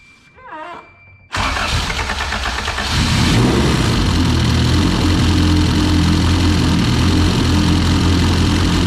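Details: All-motor LSV engine in EF hatch, cold start (block cold, exhaust only hot): fast cold idle with light metallic jingling from the head; suspected loose valve adjustment or missing spring-type LMAs, before installing spring-type LMAs and valve adjustment.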